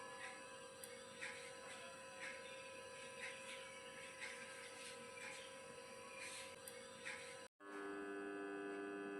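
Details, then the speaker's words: Ceiling fan that only hums when switched on but won't spin, motor turns by hand; steady electrical hum, faint buzz, no blade whoosh; failed 2.50 MFD capacitor. "जब हम पंखे का switch इसे चालू करें, फिर प्रशंसक की ओर से बस गुनगुना रहा हूँ। आवाज आती है। लेकिन प्रशंसक यह घूमता नहीं है।"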